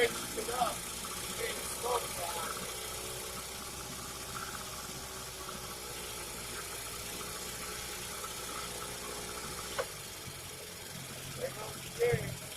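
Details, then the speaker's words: Early-1950s Sea Bee 5 outboard made by Goodyear, first run in many years after draining old gas: quiet, steady two-stroke putter with no misses or knocks; running cleanly. "i was excited that that motor ran i really didn't think it was gonna"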